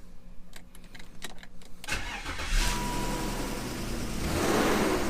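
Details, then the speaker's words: BMW E39 that had its battery hooked up backwards and sat a while, smelling of old gas: starter churns about two seconds before catching, then lumpy rough idle; owner suspects a stuck cold start valve, among other things. "She's kind of rough, boy. She's kind of rough."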